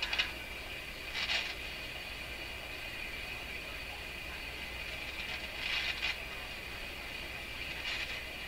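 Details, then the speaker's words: Rogers 11RA651 shortwave tube radio on restricted power with an original 6Q7/6K7 tube refitted: a quiet hiss broken by about four short crackly bursts in nine seconds; owner suspects loose components in the tube. Intermittent crackling noise. "I know if you could hear that weird stink sounder volume is breakdown on radio okay just getting just getting a little bit scary there"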